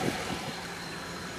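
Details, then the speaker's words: 1997 Chevy Tahoe with 208k miles, after a new injector replaced: steady, even, smooth idle with no stumble. The miss on cylinder seven is gone, though the check engine light is still on. "but no more miss no more missing on number seven"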